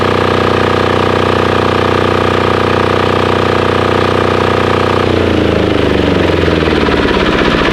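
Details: Formerly non-running Titan 7500 W diesel generator revived after cleaning, started on a weak jumper box using compression release: steady single-cylinder thump at fixed governed speed, then winds down evenly at shutoff; normal running.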